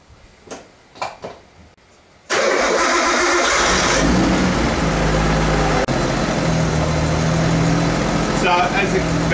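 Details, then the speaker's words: Nissan Skyline R32 GTST on E85, fresh Penrite oil change, first start: quick crank, settles into even, slightly lumpy idle, no knocks or ticks; oil pressure rose after 3 seconds to 60 psi; normal start. "As expected, the oil pressure took 3 seconds to rise, and then it quickly got up to 60 psi."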